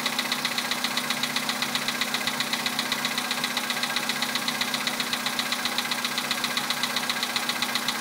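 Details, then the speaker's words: 2011 Volkswagen Polo sedan, 64,000 km, Liqui Moly Molygen 5W-40 changed about 200 km ago, 98-octane petrol, cold start at +2°C: crisp, even ticking knock about four per second over the idle; recurring cold-start knock, cause unknown. "За бортом +2. Такой вот неприятный стук. Уже задолбал."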